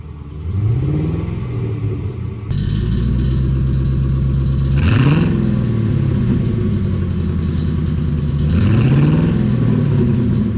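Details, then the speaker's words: 1996 Mercury Cougar XR-7 4.6L V8 with muffler delete, after washing under the hood, P0301/P0300, check engine light flashing, in gear: uneven stumbling lope with two quick revs, a single-cylinder misfire; a wiring connector fault is repaired. "Put it in gear. Definitely you can tell it's misfiring."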